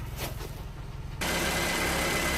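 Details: Toyota RAV4 after alternator and belt replacement: quiet hiss, then the engine catches and settles into an even, steady idle with no knocks or misses; alternator charging 13.6 V; normal idle.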